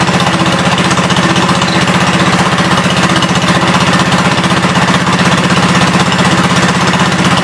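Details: 1972 Gravely 430 single-cylinder engine running normally after fuel system restored up to the carburetor (small drip at fuel pump inlet): steady, even thumping about four beats a second, no knocks or misses; high-low axle works, moves forwards and backwards.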